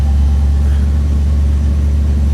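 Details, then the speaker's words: 1956 Ford Thunderbird V8 first start after sitting, fired on the first 10–15 second crank: deep, steady low rumble with an even beat and no knocks or misses, idling smoothly just after starting. Tachometer working. "Fired right up. Looks like our tack is functioning. That was, honest to God, my first crank on it."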